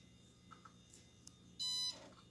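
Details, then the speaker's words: IBM 330 450 DX2 Windows 95 PC booting: faint fan hum during the memory check, then one short clean high beep; normal startup. "it's going through a memory check right now if you can see on the top left is doing a memory check there you can hear it"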